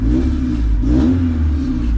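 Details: Honda EF/CRX after a 5-pin main relay conversion: engine catches quickly and settles into a smooth, steady run with no stumbling or starter grind; a clean start, check engine light on, owner suspects miswired speedo signal.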